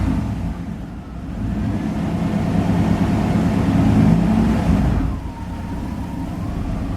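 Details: Car after a new battery, possibly with the idle air control valve stuck or out of position: a rough, unstable idle that surges and sags with no steady speed. A rusted-through muffler is also present.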